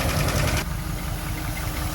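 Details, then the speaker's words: 1950 Pontiac Silver Streak, sat almost 40 years, first run after revving: fast idle drops to a low, smooth, steady idle. Oil pressure 40, very little coolant, generator shows 6.4 volts running. Engine idling normally. "So the fast idle must have been working because we revved it up and it calmed down, and now it's idling low and smooth."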